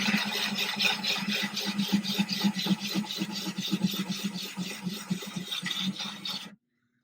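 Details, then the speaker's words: Ryobi drill with diamond bit wet-drilling thin 10-gallon aquarium glass, kept full of water: low motor hum with soft gritty scraping about four a second, then stops; no cracking or splintering. "You can hear the bit is grinding, it's doing the work."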